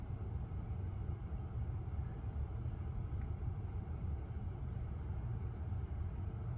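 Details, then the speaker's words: Lucid electric car driving after a logo reset cleared a buzzing noise that profile switching and an earlier reset had not. Only smooth, quiet tyre and road rumble with no buzz or whine; normal, cause unknown. "Yep, the noise went away. I have no idea why it came."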